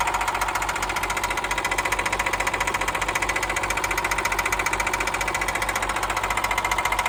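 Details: Cat 316 marine diesel engine, bought from a broker, knocking after rebuild and install: sharp, evenly spaced knocks locked to engine speed over the running note, a clear internal engine knock.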